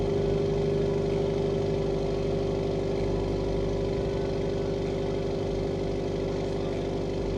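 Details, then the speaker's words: Subaru WRX FA20 2.0L turbo after replacing injectors (one stuck open), running injector cleaner, relearning idle with a little smoke: smooth steady idle with an even beat and constant hum; normal idle. "It's idling really good though."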